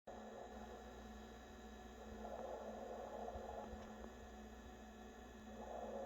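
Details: New NewAir 6-inch 7-bottle compressor wine fridge running: a steady low compressor hum with loud, swelling watery gurgles that come and go. Cause unknown.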